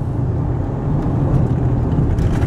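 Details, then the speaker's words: 1996 Ford F-150 4x4, 76,000 miles, warmed up, driving over potholes at about 45–55 mph with overdrive off: steady road rumble, soft muted thumps, only slight rattle from glove box contents; suspension soaks them up normally. "soaks them up nice and we're gonna hit these ones about 55. this really soaks them up you'll hear just a little bit of rattling but that's just the stuff that was sitting in the glove box"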